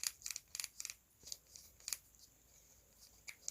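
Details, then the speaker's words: Axial SCX10 III transmission turned by hand, producing quick clusters of dry plastic clicks; gear chatter where the dig-lock piece engages, both locked and unlocked, and heavy grease quiets it. "u hit the throttle, you wanting to do its thing, and then this wanting to do its thing, and that's where you get that weird chatter."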